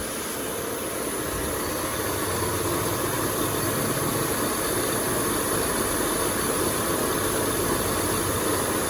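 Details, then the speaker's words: Peugeot 407 after timing belt and water pump replacement, AC on, checked for coolant leaks: steady, even hum with a light whirr and no knocks or ticks; engine idles smoothly. "Yang suaranya halus ya."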